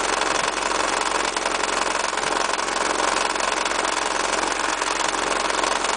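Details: Honda H22A8 engine at idle: fast, fairly even ticking knock from the engine block, appeared suddenly after driving; heatshields and pulleys secure; turned out to be a failed timing belt auto tensioner, fixed by converting to the fixed H23 tensioner system.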